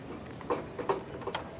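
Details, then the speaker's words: 1953 Harley-Davidson 74ci Panhead during tune-up: a few light, sharp clicks about every half second as the spark advance linkage hits both end stops; distributor needs more travel. "hitting that stop too. Hear it? It's hitting both stops now."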